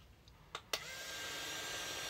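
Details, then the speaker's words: Cheap robot vacuum after battery replacement, two sharp clicks then a strong, steady high-pitched whir with no wavering and the earlier rattle gone; motor running normally. "but you know what if you can't hear the rattle anymore it's probably not an issue let's give it a whirl"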